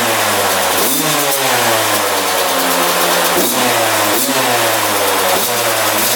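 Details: 2001 Yamaha YZ125 two-stroke, first start after fresh top-end rebuild, new pipe and cleaned carb: blips then hangs high, slowly sagging, idle won't settle; owner thinks extremely loose intake manifold bolts let it suck air, causing high idle.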